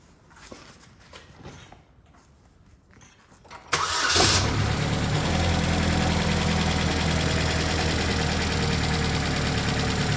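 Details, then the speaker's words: 2008 Chevy HHR 2.4 Ecotec, warm engine at idle after replacing a faulty intake part that caused whining/whistling suction noise (air sucking at oil cap and dipstick): starts and settles into a smooth, steady idle with no whistle. "Now, like I said, the engine is warm right now, and you can see no more suction noise."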